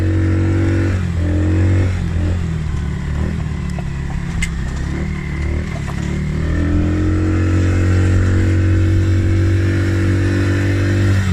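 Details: Polaris Outlaw 50cc quad after carb clean and blocked pilot jet cleared (previously overflow leak, no start), choke on lifting revs. Steady idle, revs cleanly up and down with no stumble or hesitation: normal idle and revving.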